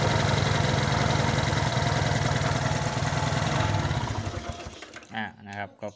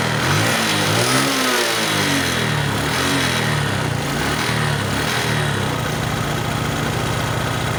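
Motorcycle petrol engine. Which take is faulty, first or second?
second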